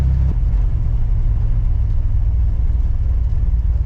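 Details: Chevrolet Corvair test drive after fixing rear rubbing noise (tyre angle, new U-joints): steady low road-and-engine rumble through the turn, no rubbing or scraping from the rear; sounds healthy.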